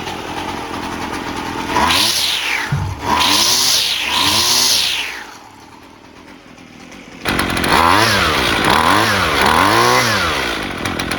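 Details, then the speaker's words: Husqvarna 128LD string trimmer after carburetor replacement (previously barely ran, never off choke), off choke after brief warm-up: clean repeated rev blips up and down, crisp and responsive with no stumble or bogging; running normally. "That sounded good. Let's take it off choke. Maybe it needed to warm up a little more. Sounds good."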